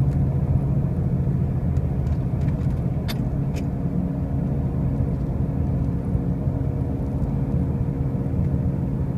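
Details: 2005 Pontiac Grand Prix with brand new wheel bearings and new tires: a heavy, steady low drone and rumble at an even level under clear road noise while driving; the source is not pinned down.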